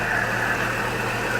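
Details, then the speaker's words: 2004 GMC Envoy 4.2L, about 255,000 miles, first startup after oil pickup tube, oil pump and harmonic balancer work: steady even idle, smooth exhaust, light top-end whir, earlier tick gone, oil pressure about 65 psi; normal idle. "For what the exhaust sounds like. That sounds really smooth. Really smooth. I like that."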